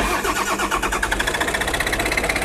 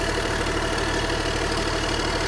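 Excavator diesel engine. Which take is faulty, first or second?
first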